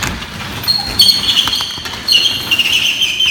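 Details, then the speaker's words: Unbalanced garage door with extension springs, before torsion spring conversion: high thin squeals in bursts as door travels, thumps between, opener beeps; suspected rubbing on flag bracket or vertical track; unconfirmed. "every time the door goes up and down makes that noise it also beeps on the operator"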